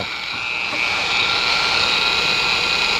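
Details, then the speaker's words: Bauer 56367 dual-action polisher after fitting an upgraded backing plate and fresh grease: smooth, steady high-pitched whir without wobble. Normal running, with vibration fixed, night-and-day difference. "it is a huge difference wow that is night and day difference"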